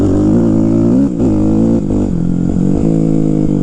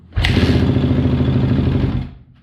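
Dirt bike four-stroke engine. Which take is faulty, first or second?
second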